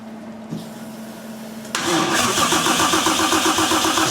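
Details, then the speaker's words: 1JZ-swapped S13 240SX after rewiring with better wire: the starter cranks at a steady pulse but the engine never catches. Voltage drops heavily while cranking; the source of the voltage loss is unknown. "We're gonna give it another try, see if it does anything good. Better than last This sounds like a car trying to start now."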